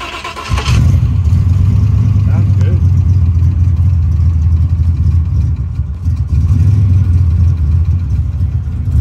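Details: Foxbody Mustang street car, 331 small-block Ford with 67 mm turbo, cruising on the street after sitting a long while; deep, even V8 drone at light throttle with no knocks, misses or surges; normal cruising.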